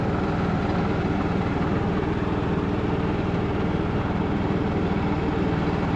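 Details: Craftsman LT2000 riding mower, revived after sitting a couple of years, driving in reverse up a hill in the rain: steady, even engine drone, no slipping surge, whine or grinding, and good speed, so the hydrostatic drive sounds normal.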